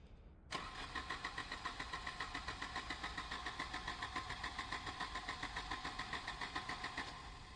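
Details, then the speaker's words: 1988 Volvo 240 at about 15°C, fifth injector removed in case it over-fuels: starter cranks steadily at about 3.5 beats per second but the engine never fires. It had started and revved briefly before cutting out. Crank, no start; cause unconfirmed. "Nothing. Not even a slight tickle. Had a slight tickle then."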